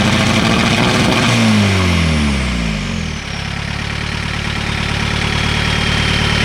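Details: 1986 VW Golf with swapped 1.9 TDI ALH, mechanical Bosch VE pump, Garrett T25 turbo: drops from a rev back to idle, then runs with a slightly uneven knock in its beat; light/no-load misfire, worse in winter, cause unknown.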